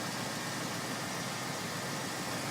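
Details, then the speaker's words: Freshly tuned 302 V8 with new plug wires, one belt and small pump removed, main drive belt tight: steady even idle with a smooth hiss and no squeal or chirp, no belt slippage; normal idle. "new plug wires keys fires right up listen to that all freshly tuned up oh yeah good old trusty 302"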